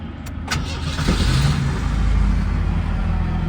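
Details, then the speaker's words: 1991 Ford Fox Body Mustang LX from salvage auction, in neutral after a jump-box start: brief crank, then catches and settles into a low, slightly uneven idle; runs briefly, then dies from lack of fuel. "Okay, it's running. Wasn't expecting that."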